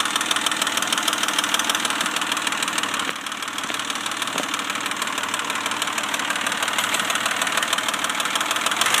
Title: Weird clicking noise? Pajero 1995 DOHC NJ 3.5L V6 rebuilt engine.